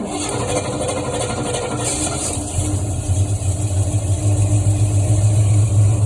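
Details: 1973 Ford Mustang Mach 1 V8, Holley 750 CFM 4-barrel, cold engine with choke on, fast idle cam at second step about 1200 rpm: catches and settles into raised steady even rumble; normal fast idle.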